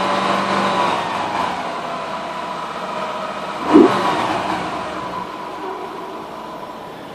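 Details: Focus ST 2.5 petrol idling after cambelt replacement and service: thin, steady whine over the running noise persists; engine whine at idle.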